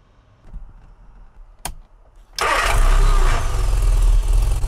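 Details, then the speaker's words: Classic Mini 998 cc automatic after setting valve clearances, revved to 5,000 rpm for strobe timing check: fires quickly and holds a strong, smooth, even high rev with no stumbling; 22 degrees at 5,000 rpm, vacuum hose off, timing spot on. "So then, Paul, can you rev it up to 5,000? Well, that is really lovely."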